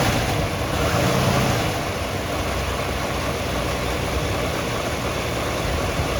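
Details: 1964½ Ford Mustang V8, unrestored, possible fuel or water pump leak: settles into a steady, even idle with a low lope and no knocks or ticks; normal idle.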